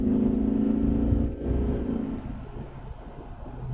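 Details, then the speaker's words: Jeep Grand Cherokee WJ accelerating after the fuel filter was replaced and a kinked fuel line repaired. A clean, even note easing off as the throttle lifts, with no stutter or surge; before, it was sluggish and surged. Smooth acceleration. "You know, so to me, it just drives like a different car. Before it was gutless and sluggish. It would surge and stutter."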